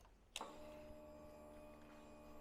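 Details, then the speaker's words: 2022 Royal Enfield Himalayan with fuel injection, at dash key-on: a click, then an even, quiet electric whine for about two seconds that cuts off. This is a normal electric fuel pump prime. "So we can hear that electric fuel pump prime, as this does have a modern fuel injection system."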